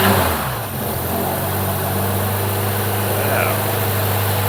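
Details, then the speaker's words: Mk1 Ford Capri 2.0 Pinto engine, first start after restoration with fuel poured into the carb: steady, even idle with a smooth low hum and no knocks, misses or rattles; running clean and healthy. "that, ladies and gentlemen, is why I love Pintos. Listen to that. Absolutely beautiful."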